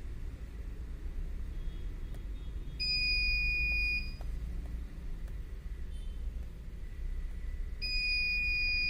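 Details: Continuous alarm beeping from a CP Plus DVR using KVMS Pro: a high steady beep lasting about a second, repeating roughly every five seconds over a low hum; the reason for the recorder's alarm buzzer is not known.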